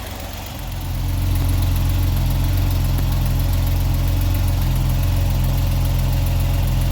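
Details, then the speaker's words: 1979 Opel Monza inline-six barn find, warm, with three cylinders done and a modified rocker cover: steady, even, smooth idle with a deep low rumble and no lifter clatter; exhaust leak present. "But we've done 3 cylinders now, and it's really sounding smooth, responsive, and this modified rocker cover is working an absolute treat, which is good."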